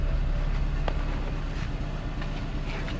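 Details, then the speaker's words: Nissan Livina petrol engine idling rough and misfiring with low uneven chuffing beat, vibration through the whole body; idle intermittently returns to normal, check engine light taped over. "nahis mesinnya pincang ya teman-teman seperti itu ini bergetar sampai ke seluruh bodyi karena mesinnya mengerinjal"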